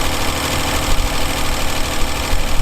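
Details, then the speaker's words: Tired Essex V6 pushrod engine in a Reliant Scimitar idling with a busy, fast clattering rattle from the top of the engine, excessive valve tappet clearance before adjustment. "Okay, so let's talk about what that sound is, that rattling sound at the top of the engine."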